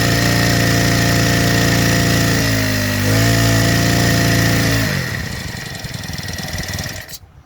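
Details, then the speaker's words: Freshly assembled small four-stroke engine on its first start before carburettor tuning: steady hum that sags, stumbles, then surges back and fades, because too much fuel is getting in and it is running too rich. "จากทำการติดแล้วเราก็มีการปรับจูนนะครับตอนนี้เครื่องมันบอกเราว่าน้ำมันมันลงมากเกินไปมันมีการสะดุดแล้วสกระพือนะครับ"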